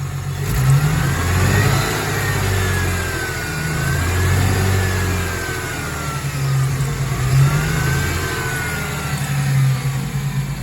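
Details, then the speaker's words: Ford Thunderbird V6 hot, revved in park, choppy uneven rumble and vibration; multiple-cylinder misfire, at least two cylinders, suspected from coolant leak reaching fuel injector wiring harness. "you can already hear the misfire but when i rev it up you can really hear the misfire here we go"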